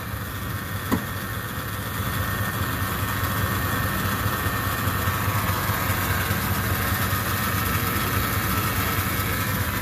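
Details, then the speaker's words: 2011 Chevy Silverado 2500HD 6.0L with 6L90-E automatic, in park at idle: steady high whine over engine idle; fluid level and condition OK; owner suspects failing transmission pump or torque converter slip. "It's definitely whining a lot. So I checked the fluid. The fluid looks decent. I mean, it's not low or nothing. But that noise is either it's a torque converter slip or the actual, probably the pump actually."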